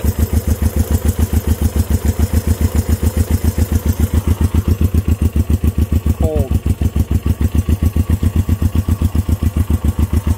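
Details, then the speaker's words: Honda CB350 twin, first start in 13 years, idling on one side only: slow, heavy, labouring thumps about three and a half per second; that side's points are not sparking. "running on one side not full guys this thing is idling"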